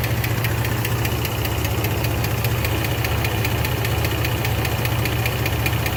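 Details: 2006 Jeep Liberty 3.7L at idle: quick light ticking, two or three a second, over a steady idle; sticking lifter, fixed by replacing all lifters since the sticking one was hard to identify.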